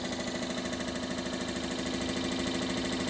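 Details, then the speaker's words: 42-year-old Suburban NT24M furnace blower motor bench-powered outside the case: loud steady whir with fast even flutter two to three times a second; owner suspects excess play, worn blower motor bushing. "I don't know what's going on with it. It's got too much in play or something weird going on."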